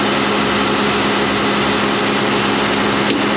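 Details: John Deere 7200R tractor, 11,630 hours, after mending the exhaust pipe with a new gasket: smooth, steady diesel idle with an even beat and no puffing or ticking; the exhaust sounds sealed and healthy.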